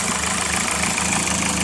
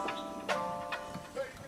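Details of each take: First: Engine after finding the cause of a clunking noise on one side, first feared piston slap or rod knock: steady, even idle with only a light lifter tick and no clunking or knocking; no leaks, engine sounds healthy. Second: Car started for the first time after a build: the engine catches, flares to a very high rev, sags and dies, twice over. Traced to the engine computer fitted, an incompatible ECU causing a surging high idle.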